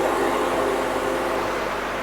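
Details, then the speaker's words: A/C compressor given a small charge and run with the engine and fan on: smooth steady drone, no knocking or squeal. Normal A/C compressor running. "we got the fan on and we're going to turn on the AC now you might not have heard it but I certainly did we're going to go over here and we're going to see the compressor spinning"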